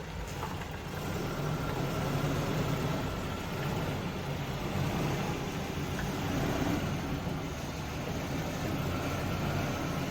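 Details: Volvo 245 out of storage, started after a no-start cured by wiggling a loose ground; car is leaking oil and needs a new battery: steady, even low idle with no misses or stumbles; runs normally.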